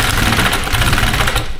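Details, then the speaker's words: SR32 engine swap on a Link ECU base map, first start attempt, fuel pressure about 30: ragged, uneven sputtering bursts that half-catch, sounding bad and possibly knocking, before it is shut off. "Maybe a little bit of gas. No. No, that sounds bad. What is it? And turned it right off."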